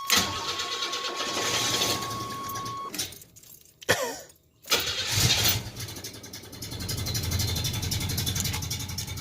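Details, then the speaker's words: 1987 Chevrolet Celebrity Eurosport 2.8 V6, 237k, cold day, before catalytic converter install: cold engine cranks, catches, sags and nearly dies, then recovers to an uneven idle; raspy exhaust with fuel smell, watery exhaust; owner doubts head gasket (no milkiness, no coolant loss); cause unclear. "Okay, so it's not wanting to run right today."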